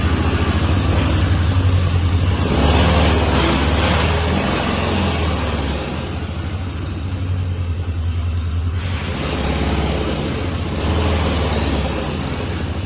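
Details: 1998 Citroën Saxo limited edition, long laid up and non-starting, now running after a battery change with no smoke: a steady, even low engine hum through light revving, no knocks or ticks. It drives, the gearbox feels good and the engine sounds sweet.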